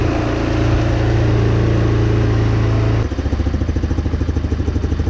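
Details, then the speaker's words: GY6 150cc four-wheeler after swapping in a new replacement carburetor: idle holds fast and buzzy, then drops to a slower, lumpier beat as it is turned down with the idle air adjustment; idle was set a little high. "uh this has been starting i got it that's a little high though"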